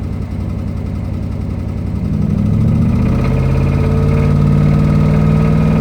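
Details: 2005 Ram Hemi V8 idling then revving, dull rhythmic knock about three to four per second rising with revs; suspected rod knock.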